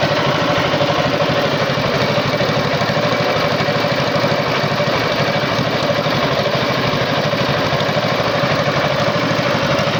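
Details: Tow-behind flail mower's Wisconsin TJD 20 hp inline two-cylinder engine, battery iffy, test-cut grass fine: steady, even chugging at constant speed, no knocks or misses; healthy running.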